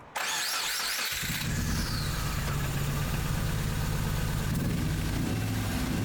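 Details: 2001 Subaru Impreza 2.5RS (GC8) with a flashing check engine light and codes P0301/P0302, no spark on cylinder 1. After swapping plug wires it still idles rough and stumbling. The cause was later traced to the ignition coil. Misfire from failing ignition coil.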